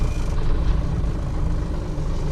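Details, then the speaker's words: 1996 12-valve Cummins diesel in drive, idle dropping from about 500 to about 200 rpm; deep, lumpy chug that sags and stumbles, barely holding on; idle speed set far too low, suspected cause of hard starting. "This idle is so low, guys. Like this is terrible how bad this idle is. This thing idles worse than mine does"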